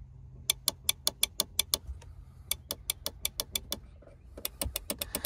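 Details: Volvo Penta SX-A power trim/tilt before repair; fuses not at fault, relays getting power and switch giving about 12 V both directions. Sharp dry clicks about six a second in repeated bursts, no motor hum; relay chatters but the pump motor never turns.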